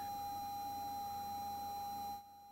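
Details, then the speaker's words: FMX-003 static meter switched on: a thin, steady high-pitched faint hum holds level, then cuts off after about two seconds; normal operating hum. "If you listen carefully, you'll hear a faint humming. That is normal."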